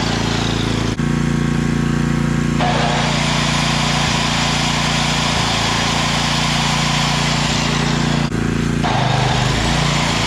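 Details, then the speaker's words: Coleman Powermate 5000 W generator after cleaning, fresh fuel, a new plug, an oil change and a throttle-spring adjustment: a steady, even, firm drone with a brief dip as the throttle eases. It now runs at full speed with output up from about 80 V to 120 V. "okay so that was a pretty easy fix on this guy we just cleaned it up a little bit put some good fuel in it changed the spark plug out changed the oil"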